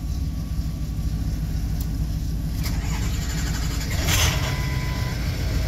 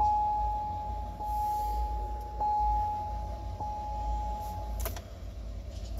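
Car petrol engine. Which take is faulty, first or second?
first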